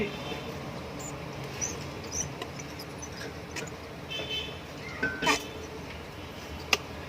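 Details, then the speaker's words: Orient ceiling fan running quietly with scattered, irregular high-pitched chirps and squeaks; the motor bearing has gone dry and is squealing. "इसका bearing dry हो गया है।"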